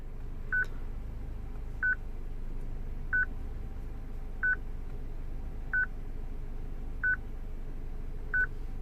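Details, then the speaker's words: 2006 Citroen C3 petrol with a used replacement radio: a clear high beep about every 1.3 seconds, seven in a row over quiet hum. The radio's stored VIN differs from the BSI VIN, so the security lockout beeps. "Now look at the VIN code that is saved on this radio. Ah, it's a different one. So that is why this beep is happeni"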